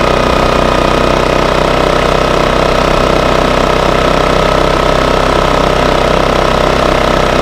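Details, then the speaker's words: Baliy 3700 W portable generator after carburetor cleaning and new spark plug, servo rotated back: loud, constant, even drone with no surging or hunting in eco mode; steady, healthy running. "that flipping between econo on an econo off the motor seems to just be running just fine once i got that servo rotated back"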